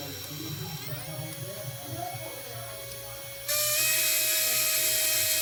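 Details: DYS X160 micro FPV racing quadcopter: thin high motor whine jumping louder with harsh gritty hiss; bad bearings in one or more motors suspected, causing vibration and right drift.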